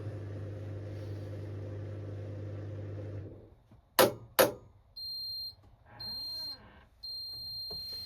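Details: Indesit IWC71453 washing machine with very badly failed drum bearings, at the end of a test spin: the motor hum dies away, a couple of door clunks, then high, even beeps about a second apart; normal end-of-cycle signal.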